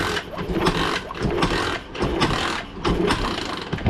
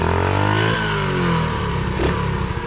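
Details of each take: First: One of two pit bikes sitting unknown years (Baja Dirt Runner 50/90 or SSR 72cc), hand-kicked: uneven turning-over bursts about once a second, never firing; no start from no spark, restored by disconnecting the bike's original kill switch. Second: Baja Dirt Runner 50 pit bike, sitting for unknown years, revived, on a test ride in an alley: crisp single-cylinder bark picking up cleanly on each blip and settling evenly, no knocks, smokes a little; normal running.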